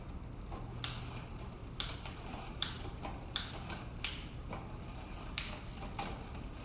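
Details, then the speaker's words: Bicycle: irregular sharp metallic ticks and rattles from the turning chain, skipping two gears per single click; front shifter out of adjustment, needing adjustment at the cable nut on the handlebar shifter. "See, you can hear the chain rattling, the front shifter's out of adjustment, and"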